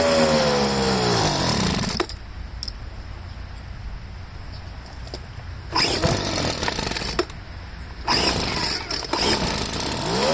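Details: Poulan handheld blower two-stroke after fuel line replacement: revs up and drops back to idle cleanly several times without stumbling or dying; running properly.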